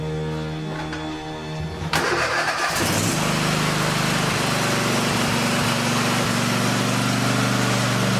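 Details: Toro TimeCutter SS4235 riding mower after repair of its electric parking brake: starter cranks briefly, engine catches and settles into a steady, even drone around four beats a second; starts and runs normally.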